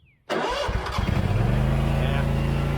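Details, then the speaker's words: Scag mower with Kawasaki FX691V after carburetor replacement (it had been popping and backfiring): cold start needing a little choke catches after a short crank into a smooth, steady idle with no popping, not yet warmed up. "just needed a little choking. Sounds good. Yeah, just needed a quick choke. It's not fully warmed up."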